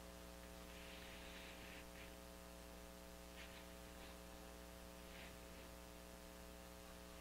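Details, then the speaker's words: Early-1950s Viking 53-38ARR tube table radio, first power-up: a loud constant low buzz under hiss and crackle with faint stations tuning in, mains hum from a bad filter capacitor. "It's actually tuning in stations. Okay. But obviously we got a bad filter cap."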